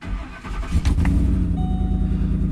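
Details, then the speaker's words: 2008 Ford Expedition, 147K miles: cold start settling into a lumpy idle with a puffing tick from one side and an uneven beat, an exhaust manifold leak plus a misfire, missing less than the previous day. "the exhaust leak you definitely hear that exhaust leak wow that sounds better today okay it's not missing nearly as much as yesterday"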